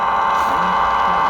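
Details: Chinese DSP portable receiver on telescopic antenna, weak signal on 15770 kHz WRMI: loud even rushing hiss with faint steady tones, varying with how it's held; internal noise from the receiver itself (fine on MLA-30 antenna).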